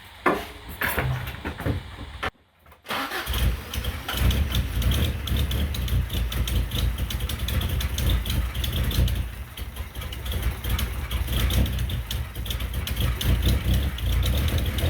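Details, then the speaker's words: 1977 Toyota Celica GT with a rebuilt Weber 32/36 carburetor: the engine runs and seems to get fuel but won't stay idling. A low, rough note lurches and stumbles without settling. Poor-running engine, cause not identified. "well it runs it seems to be still getting fuel all right let me do some tinkering and see if i get this thing to stay idling"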